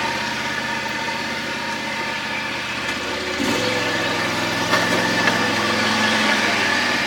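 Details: John Deere X540 mower, idle for about a year with crank-no-start and no spark, after replacing two failed coils: steady, even twin-cylinder beat that steps up cleanly to higher speed and holds smoothly; engine runs properly after repair.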